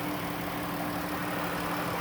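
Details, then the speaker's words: 2016 Dodge Caravan AVP wheelchair van, 3.6 V6, 37k miles, hood open: steady, even idle hum with a faint constant tone and no knocks or misses; healthy V6 running smoothly. "Let me pop the hood so you can listen to it run. Underneath the hood has a 3.6 V6 from Dodge."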